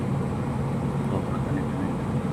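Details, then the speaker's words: Water cooler compressor running after fixing faulty relay and repairing broken wire, drawing about 1.8 A dropping lower: steady, even low hum without clicking or stalling; compressor runs properly and cooler is cooling. "अभी आप देख सकते य 1.4.5 air compressor चल रहा है ठीक है"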